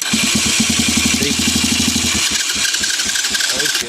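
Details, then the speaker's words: 200cc Chinese dirt bike (fake KTM), start button bypassed by twisting wires together: starter spins the engine in quick even pulses for about two seconds then cuts out while the key switch harness is wiggled; loose key-switch connector, poor connection. "sorry but yeah that's what there's something loose in here it's not getting a good connection"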